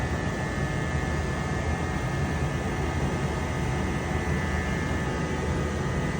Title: 2021 Mercedes S Class A/C compressor buzzing noise